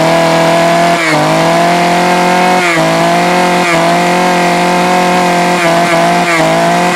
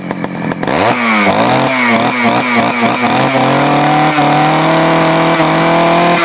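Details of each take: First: Poulan 4200 chainsaw, cold start: high, buzzy two-stroke note surging and dipping with throttle blips, revving hard and thin; running a little lean, before adjusting the low-speed mixture screw. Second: Poulan 4200 chainsaw reported running a little lean, started cold and warmed up, low-speed screw and idle adjusted: several crisp throttle blips, then a clean steady high rev without bogging; earlier sound was muffled; normal running.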